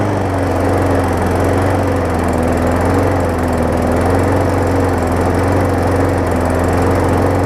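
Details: Swapped and reconditioned single-cylinder engine on a 2018 Murray big-wheel mower, first run after reassembly: smooth, even speed with a steady hum and no knocks or misses; sounds healthy.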